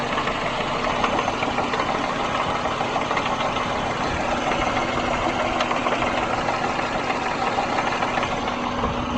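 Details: 1999 Subaru Legacy Outback wagon, EJ25D 2.5L DOHC flat-four, 374,200 km, idling rough with extra vibration; faint, uneven, intermittent knock concentrated at the rear driver's side, heard only at idle.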